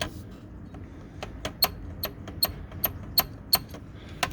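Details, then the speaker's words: Hermes Rocket typewriter on final checkout after service: steady sharp keystroke clacks about three a second, each with a thin high squeak on the space bar stroke; squeaky space bar from a dry rubbing guide piece. "listen closely what happens here and I'm going to troubleshoot this on camera so there it makes a squeaking noise"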